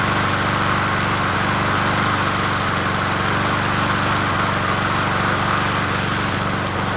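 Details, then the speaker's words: Old free Murray 20" push mower #20201D, missing gas tank, carburetor just coaxed into running, no air filter fitted; loud busy single-cylinder drone with an uneven beat, about four pulses a second — rough running. "try it again it's running but we're killing the mosquito"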